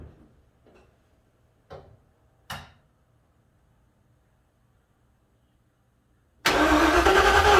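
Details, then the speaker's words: 1956 Ford F-100, first crank with oil and transmission fluid but no coolant, mechanical oil gauge not yet showing pressure: few clicks, then starter spins it at an even steady speed without firing; healthy cranking. "No oil pressure yet, but turning over good, so that's always a nice sign."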